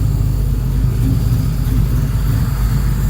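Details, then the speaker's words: Bent69 project car at first start-up, idle set to 700 rpm: a deep, even, lumpy rumble with no clatter; a normal healthy idle. "one of the things i want to know oh that's rumbly i like that"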